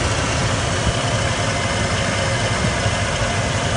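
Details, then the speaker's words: 1993 Ford F150 after idle surge fix (computer replaced, new fuel pressure regulator, timing chain changed at over 100,000 miles): steady, even idle with a smooth low rumble and no hesitation, misses, surges or shake; engine healthy. "There's no hesitation, no shaking, no problems with that engine now."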